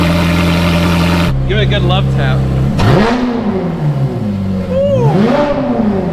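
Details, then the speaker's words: Ferrari 430 Scuderia, cold, just after Capristo headers installed: V8 idles evenly, light blips rise and fall cleanly with crisp smooth note, no ticks or rattles; refined, healthy. "uh wow that sounds really it's like it's got a very nice refined sound to it sounds really good"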